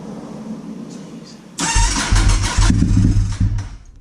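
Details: Honda RC51 V-twin first start after reassembling rear cylinder (rear spark plug thread repaired with threadsert), run briefly without radiator coolant: cranking catches into a loud, lumpy twin-cylinder bark; cold engine fires and runs normally.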